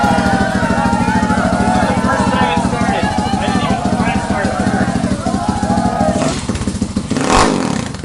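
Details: Boom Vader Grom clone motorcycle, 190cc single, first start on carburetor after fixing a misaligned pickup, rewiring and fitting an aftermarket exhaust: quick even thumping about three beats a second, steady; runs healthy.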